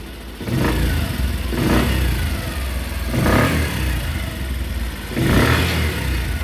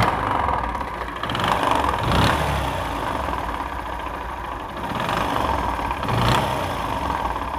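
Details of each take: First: Bajaj CT 100 motorcycle after repair of a bad engine noise (connecting-rod knock). Four clean throttle blips that rise and fall smoothly with no knock or clatter: normal running. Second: Old Bajaj CT 100 single idling and revving with a harsh mechanical clatter and ghat-ghat knock: the connecting rod is completely damaged. The rod was fairly new; engine oil supply to it was being checked.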